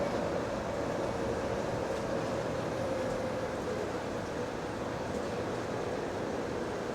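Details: GAL bus EBD67 on route SL4, after its creaking suspension noise was fixed: a steady cabin drone with road rumble and no creaks or knocks over bumps. Normal ride, suspension quiet.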